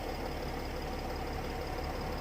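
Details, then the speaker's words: Mercedes ML320 CDI W164 OM642 diesel, cold start with smoke, all six glow plugs already renewed, code 2270-4; uneven lumpy knocking idle settling slowly, suspected glow plug controller damaged by earlier shorted plugs. "we're gonna start the car and I'm going to show you exactly what the car does I'm gonna crank it but if you can see the smoke"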